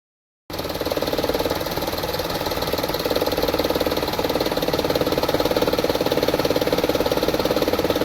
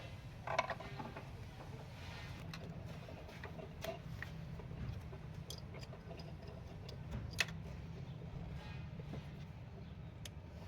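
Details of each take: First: 2012 Toyota Vitz, 1KR petrol engine, idling with very low RPM and an uneven, stumbling pulse; heavy misfiring and vibration shaking the whole body, also has a gear shifting problem. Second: 2012 Toyota Vitz 1KR petrol engine, which had low rpm, misfire and heavy vibration, after cleaning the injectors, throttle body, manifold, O2 and MAP sensors. It cranks, catches quickly and settles into a steady, even idle with no misfire.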